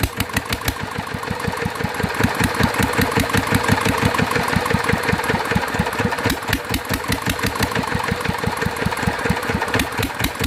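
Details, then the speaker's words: Mitsubishi NM85 single-cylinder diesel, about 40 years old, after rebuild: even thump with sharp tick each firing; oil seeping at injector seat, compression likely leaking past it, injector problem noted, cylinder head heavily worn. "นะครับเป็นน้ำมันเยิ้มออกนะครับก็ยังมีปัญหาจุดนี้อยู่นะครับแรงอัดน่าจะรั่วออกมานิดหน่อยนะครับ"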